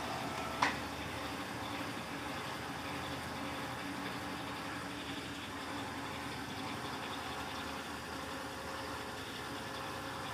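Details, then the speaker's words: Electrolux LTC15 top-load washer on the stain-removal program washing sneakers, final spin after the tennis shoe knocked the basket; one click at start, then even steady spin hum, no knocking or grinding: normal spin. "Deixa ela ir direto. Agora eu vou deixar ela centrifugar normal."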